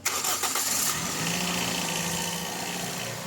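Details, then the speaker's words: Toyota Vios after oil change with engine flush, engine started: catches first try and settles into a smooth, even idle; the earlier ticking (lagitik) is gone, engine now quiet and healthy. "Sabi ko nga kay customer, oo ayan, tumahimik na yung makina, nawala na yung parang lagitik."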